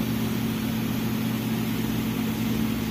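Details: V8 engine idling with a steady low drone and a slightly uneven pulse from a misfire on cylinder 4.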